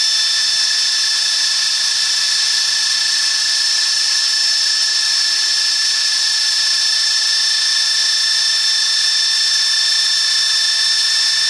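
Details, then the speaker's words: 9-inch GE DC series motor with air-cooled VW transaxle adaptor, bench-tested on 12 volts: steady high-pitched whine holding one pitch, no knocks or grinding; normal motor whine. "So it is running. Got a high pitch. Brush the speed in a little bit better."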